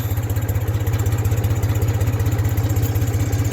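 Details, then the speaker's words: 1974 Ford 3000 gas tractor, 8-speed, revived after water-locked cylinders with new sleeves and muffler: low even chugging, evenly spaced pulses, no skips or knocks; normal three-cylinder idle. "we'll see how quick she starts she's usually pretty good i don't think you'll have to choke it jump up here and she's off"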